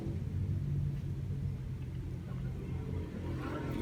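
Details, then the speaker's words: Yamaha Vixion: low engine rumble with an uneven thumping clatter when the clutch is released, caused by hardened, worn clutch hub damper rubbers. "untuk permasalahan suara yaitu ada di es koplingnya yang sudah sauce Ya wes kopling yang sudah aus nih"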